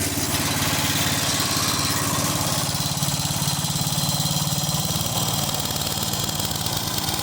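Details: 1995 Yard Man 8 hp chipper shredder after low-compression repair (48 psi before, 68 psi after): steady, even putter at constant speed, no misses, knocks or hunting; runs healthy.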